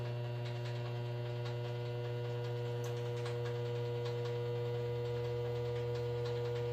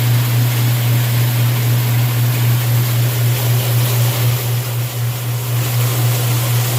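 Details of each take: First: Washing machine on a medium cycle at drain: loud steady mains hum as the jammed drain pump motor stalls without spinning up, then the thermal cutoff trips; it must cool and reset before clearing the pump. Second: Washing machine with the lid switch bypassed by a screwdriver, on the drain cycle: steady low pump hum under rushing water, no knocks or rattles. The drain pump runs normally and the water drains.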